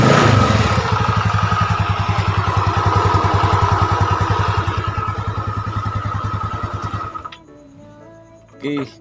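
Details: Yamaha Mio Sporty automatic scooter started after a repair for oil consumption, with the valve seals and rings worn. Steady, even single-cylinder putter of about 200 beats a minute for seven seconds, then switched off; runs smooth.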